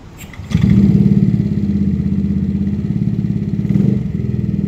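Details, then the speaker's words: Yamaha NMAX new scooter that stalls, hesitates and bogs starts, then idles with a lumpy, stumbling beat. Injector duration is normal but AFR rises to 17, indicating lean running from fuel starvation. "Nah untuk afr-nya ini naik sampai 17 itu artinya ada indikasi bahan bakar kurang ya"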